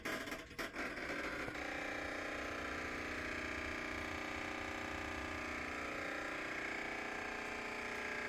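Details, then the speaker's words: Maytag MVWP575GW commercial top-load washer in service-menu test: loud clicking buzz when the actuator engages to shift into agitate, despite a new motor, belt, drive clutch pulley, actuator and control board; splutch or actuator still suspected. "that's the loud clicking sound that I get and then it should go into agitate"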